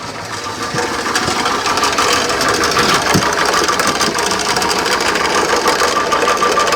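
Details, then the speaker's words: Mercruiser 120hp engine in a 1968 Starcraft Islander barn-find boat, first runs with timing still set too high: idle with a loose, uneven ticking rattle of about three a second; water pump bearing or timing chain suspected, not confirmed. "It's either water pump bearing. You guys can hear that? It's either water pump bearing or timing chain. Yeah, that's not good."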